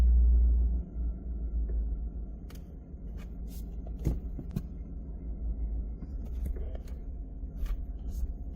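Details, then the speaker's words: 2022 Chevy Silverado ZR2, recorded in the cab with the camera toward the floor: idling while creeping in reverse and forward, with sharp, noticeable clunks as it stops. Owner suspects failing upper control arm ball joints; sway bar end links also checked. "You hear the car stop and it goes clunk. Like it's it's a really noticeable pitch."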